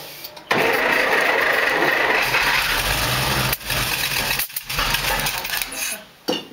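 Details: Engine cranking in long spells with rough sputtering bursts that never settle into a run, fuel pump confirmed working; crank no start, needle and seat suspected, not confirmed.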